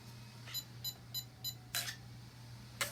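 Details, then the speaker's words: SCX6 RC crawler with a real gasoline 44cc V8 on its maiden test run, in gear under throttle turning the wheels: quick chirping beeps about three a second over a low engine drone; radio voltage drops from 9 to 8.8. "Watch the voltage on the radio drop. It starts off at nine and goes to 8.9 8.8."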